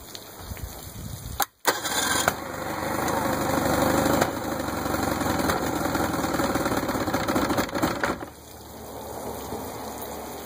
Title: 1964 Merc 650 backfiring